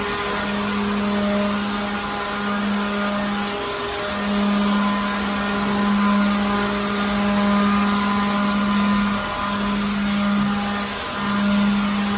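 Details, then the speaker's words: Second-hand leaf blower clearing dirt from a truck trailer. Steady motor whine at one pitch with an airy rush, dipping briefly between passes; running smoothly and strong; normal. "But this thing's pretty good. I got most of the big stuff out, the big particles and whatnot."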